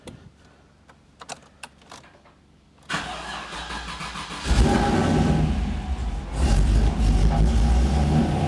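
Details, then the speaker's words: Pontiac Trans Am with LTx swap and 6L80E, untuned, cold day: clicks, then it catches, stumbles, revs up and holds after several cranks. Hard cold start from insufficient startup fuel. "she takes a little time to start doesn't like the cold like I said it's not tuned yet needs some more fuel on Startup"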